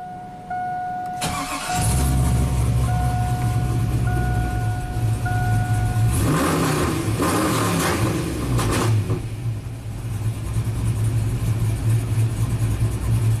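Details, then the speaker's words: Tuned 2000 GMC Sierra 5.3 V8 with cam, after fixing P0336 crank sensor fault (rust in hole mispositioning sensor) and crank relearn: chimes, cranks and catches, two throttle blips, then steady even idle with no stumbling. "amazing this truck is fixed so simple problem but kind of weird you know"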